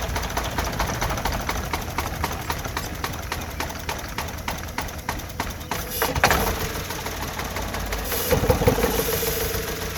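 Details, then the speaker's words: Three-cylinder petrol car with two of three cylinders disconnected, running on one cylinder: slow lumpy idle with uneven chuffs about three a second and increased vibration, demonstrating multiple-cylinder misfire. "എന്നാൽ സിലിണ്ടറിൻ്റെ എണ്ണം കുറയുമ്പോൾ നമ്മുടെ വാഹനത്തിൻ്റെ vibration കൂടുകയും ചെയ്യും,"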